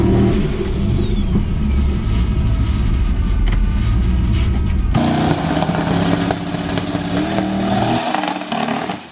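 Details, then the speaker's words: Boosted car on drag test passes with transbrake, no setup changes made. At full throttle the loud roar turns ragged and stuttery as power comes on, breaking up under load. Plugs were mentioned; the cause is unclear. "alright guys breaking up there a little bit why we're out here making test passes we even really change anything on the car setup wise"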